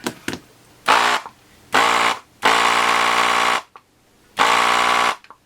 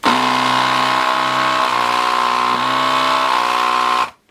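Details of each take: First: Gaojie S-998P 220 V 100 W desoldering gun vacuum pump while desoldering header pins: short buzzing bursts with a harsh, strained tone; owner feels it sounds like it is labouring, slowing slightly as solder comes through the nozzle. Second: Gaojie S-998P 220 V 100 W desoldering gun vacuum pump: steady buzz that dips slightly in pitch as air and solder flow through the nozzle, slowing only a little; normal loading.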